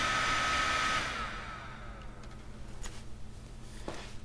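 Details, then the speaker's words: 12-volt squirrel cage blower fan powered from a PC power supply's yellow 12V wire: strong steady airy rush for about a second, then a smooth wind-down with no rattle or scrape, putting out a lot of air; healthy. "That thing puts out a lot of air."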